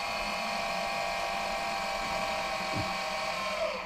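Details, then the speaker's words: Boat autopilot linear drive with the clutch engaged, retracting the arm on positive/negative power, with polarity reversed to extend it. Steady electric motor whir with a smooth mid-pitched gear hum; no grinding or stalling, normal operation. "the arm pretty basic and it works it's a good thing big saving one thing we write 2500 bucks"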